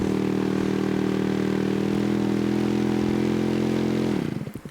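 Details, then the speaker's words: Spitfire model aircraft engine, first start of the day, spun by an electric starter on two 5S 4000 mAh packs with ignition off and choke on. Smooth steady whir, pitch rising slightly as fuel is drawn in; normal cranking. "I'll spin this over just with the ignition off and the choke on and uh you'll hear it start to speed up"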